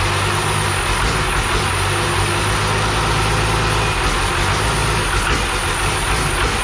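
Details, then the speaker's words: 12V Cummins core engine from an accident, run on the floor after sitting 5–6 years with a new oil filter: steady, fairly even diesel clatter with a constant scraping rasp as the fan touches the harmonic balancer. Turbo probably bad; fuel filter leaks. "i would say the turbo's probably no good and the fan is definitely touching the harmonica but it sounds like it's uh it doesn't sound like it's gizzard in itself"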